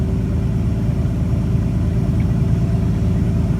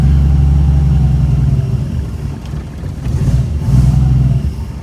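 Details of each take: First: 1962 Ford Falcon, carburetor with manual choke partly on, after the electric fuel pump has pressure again: steady, even low rumble, smooth regular beat, no knocks or misses; runs great, normal idle while warming up. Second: 1962 Ford Falcon with carburetor and manual choke set half on, electric fuel pump: catches on a hand-primed bowl, low uneven rumble runs a few seconds, sags, picks up briefly, then dies; pump not priming, fuel starvation.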